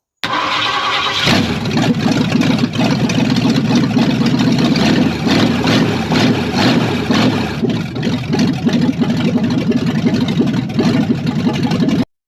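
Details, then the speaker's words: 1973 Ford Mustang 302 V8, straight manifolds with no exhaust, electric fuel pump fitted, old carburetor to be replaced: catches after brief crank, loud lopey run, no clatter or knocking in the motor; normal running. "I did get this thing idling on its own it it sounded good the there's no clatter in the motor or anything"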